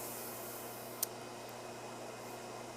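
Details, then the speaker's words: New replacement Taco 1900 series circulator pump; the old one had a bent shaft and sounded rough. Quiet, steady low hum with an even tone and no rattle or roughness; runs smooth and true. "you know it runs it's smooth you don't hear it you don't hear anything"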